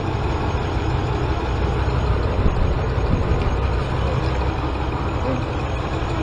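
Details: 2014 Dodge Ram idling with code P0207 and a cylinder 7 misfire: deep, heavy idle with an uneven, stumbling beat that shifts as the wiring is moved; a damaged injector connector is causing the misfire.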